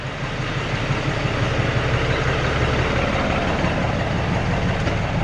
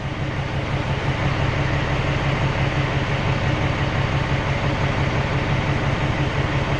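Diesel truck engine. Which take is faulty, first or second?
second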